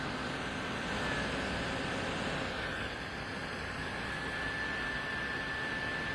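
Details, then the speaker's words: JISULIFE bladeless neck fan (5 speeds, 4000 mAh) on high speed, recorded near the mic. Loud, steady airy rush with a faint fluttering rattle, as if something is inside the fan. Cause not identified. "But it is very loud. This is uh high speed though."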